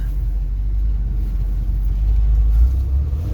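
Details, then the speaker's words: 1969 Ford F100 carbureted engine started cold after carburetor rebuild, choke and throttle worked together, backed out of garage; deep uneven loping rumble struggling to idle on choke, can't take gas; rough cold idle, "cold-blooded." "You have to play with the choke and gas all at the same time. I'm gonna back it out so the exhaust isn't dumping in the garage. These things are cold-blooded. Holy cow, they're cold-blooded."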